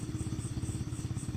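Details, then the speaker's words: Honda Sonic engine rebuilt from scratch, first start after oil was filled: small single-cylinder idles at an even, quick beat of about twelve pulses a second with no ticks or knocks before the radiator circulation check; normal idle. "Nah tinggal kita hidupkan nah udah langsung hidup ya diamin aja dulu inen oli udah dimasukin jangan sampai lupa olinya nih ya"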